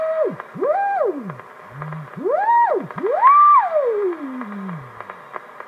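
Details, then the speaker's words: Hammarlund HQ-170A receiver during IF alignment control check, in CW mode: clean whistle glides smoothly up and down in pitch as the CW/BFO adjustment is tuned; beat oscillator working normally. "Okay, CW adjustment's working."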